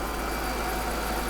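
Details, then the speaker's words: Mercedes S55 AMG V8 started after second engine teardown with all intake valve springs replaced, cold night, checking for leaks; smooth even idle with deep steady rumble, no ticking or knocking; healthy. "Okay, very carefully, let's look for some leaks. She sounds good, doesn't she? Well, she sounded good last time, too."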